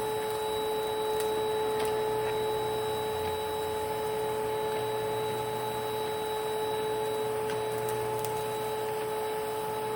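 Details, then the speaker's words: 1992 Panasonic Jet-Flo MC-9530 canister vacuum running with its power nozzle: steady high-pitched whine over the motor hum with faint irregular ticking throughout; the motor bearings are worn or dry and need replacing or regreasing. "As you can see, the motor definitely needs either new bearings or new grease."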